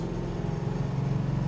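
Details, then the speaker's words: 1969 Dodge Charger R/T, 440 four-barrel V8, four-speed manual, 27 miles since full restoration, heard on an outside flyby: deep even V8 burble with steady firing pulse, no misses or knocks; healthy exhaust rumble. "top doch restoration car runs and drives really well great V8 Rumble four"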